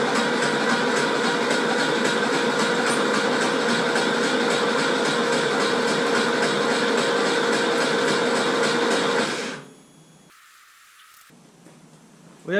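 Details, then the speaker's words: Porsche 911 engine cranked with the spark plugs out to build oil pressure before first start. Fast, even whirring with no compression chuffs; the engine spins freely and oil pressure comes up. "now i'm gonna jump in the car turn the car over hopefully get some oil pressure and if that's all good then we'll chuck the spark plugs in and hopefully we can get it to start"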